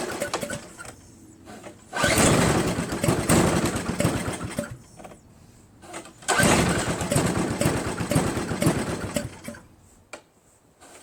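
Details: Craftsman 522 4-cycle single-stage snowblower left outside, water in gas tank, line and carburetor: catches twice, sputters unevenly about two seconds each time, then dies; water in the fuel and carb starving it.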